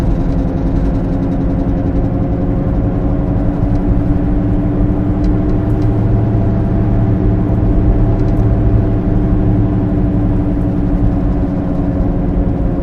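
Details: Car rolling on the road: steady low droning hum with a faint whir under road noise, noise said to increase; worn wheel bearing growl.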